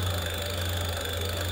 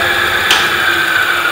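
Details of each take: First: Hub motor on a NYX e-bike during Adaptto controller setup auto-test at wide-open throttle, wheel spinning free: steady coarse low hum with rough buzz; motor running noisy and vibrating a lot. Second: Hub motor on an e-bike with Adaptto controller during timing setup at about 50 km/h: smooth, steady high-pitched whine with one brief click and no roughness; timing set to the smoothest point, motor running cleanly.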